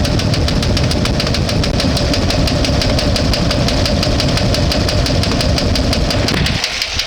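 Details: One-ton truck with transmission fluid added to the oil to clean it: rapid heavy knocking/banging over a rough, missing idle that never settles; owner suspects ignition fault for the miss, knock cause unconfirmed.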